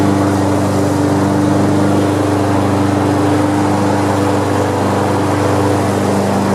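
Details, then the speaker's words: Almost-new Honda HRX217 mower running after oil-leak work: steady engine hum while blades keep rotating even when they should stop; blade clutch not disengaging, adjustments to be checked. "so all right so i'm digging back into it because what i noticed engines running uh it was cutting grass and all that good stuff but the blades were always rotating right it's like this thing is just not letting loose"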